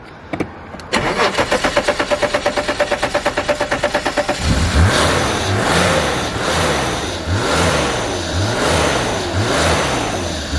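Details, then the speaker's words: Abandoned E34 BMW 535i, sat 12 years, fuel pump dead so run on starting fluid: about four seconds of cranking, then catches and revs rise and fall smoothly with no knocks or misses; very quiet, runs like a dream, a little smoky. "So there we go, guys. She is running like a dream. Very quiet motor, I must admit, especially after sitting for 12 years."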